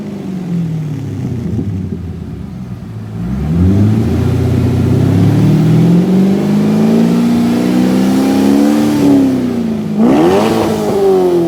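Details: 2001 C5 Corvette Z06 with about 30,000 miles, after installing a used Magnaflow cat-back exhaust, checked for no exhaust leaks. Deep, even V8 idle that rises smoothly in pitch on two revs and falls back cleanly, with no ticking or puffing.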